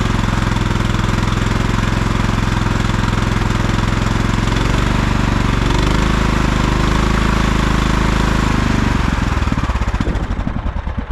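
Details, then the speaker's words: 1989 Craftsman mower, small single-cylinder engine, cold-started on choke after choke and fuel line reconnection: uneven chugging, note sagging and nearly stalling each time throttle opens before picking up; owner thinks it needs a little tuning. "you can hear how every time I go up on the throttle it kind of wants to stall and then it goes in I think with a little bit of tuning will'll be all right"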